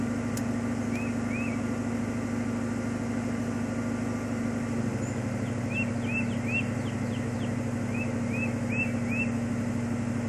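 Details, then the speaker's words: 1995 Ford Mustang GT V8 (OBD1) cylinder balance test, cylinders cut one at a time: steady idle whose note dips as RPMs drop, owner says car sounds like crap, birds chirping; test later returned code 9, system pass. "I don't know if you can hear that from this camera but you can hear the RPMs dropping and uh car sounds like crap"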